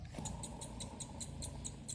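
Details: Fiat Fire engine alternator, removed and spun by hand, gives a dry, rough rumble with rhythmic ticking each turn. The alternator's two bearings are to be replaced: alternator bearing noise.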